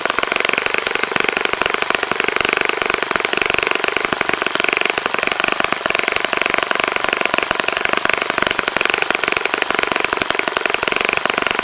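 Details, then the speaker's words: Saito FA-65 model four-stroke, first run after rebuild, APC 12x6 prop, Morgan's Omega 10% fuel, Fox Miracle plug, primed heavily to start: fast crisp high-pitched buzz steady at high revs, no misses or sputters; normal running. "okay John as you can see how so pretty nice running engine after a rebuild like that sometimes it's hard to get it primed I actually had to prime it pretty heavily to get it going shouldn't be an issue now"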